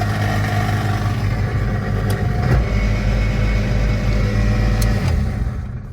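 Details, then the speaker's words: 1997 Honda Accord automatic with 246,000 miles, sold as having a bad transmission: low rhythmic clunking about three times a second as the car tries to move; broken CV axle, not the transmission. "So that is not a bad automatic transmission. People think it's a bad automatic transmission, but what has happened is the CV axle has busted."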